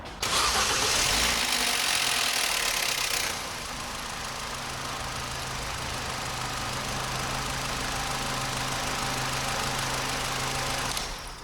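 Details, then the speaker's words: 2008 Opel Astra GTC 1.4 petrol, started after oil and filter service to let the oil light go off: harsh, hissy rasp during first three seconds of cranking, then steady idle hum; intermittent noise, cause unknown, not yet investigated. "making that noise again I'm not sure what that is do a bit more investigation about the but I'm not going to worry about that yet it doesn't all the time"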